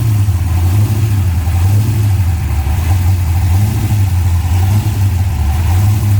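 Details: Restored 1966 Dodge Coronet, 440 block with Hemi heads built to 572, idling and revving: deep, even, lumpy rumble with smooth small throttle blips. Running cleanly without knocks.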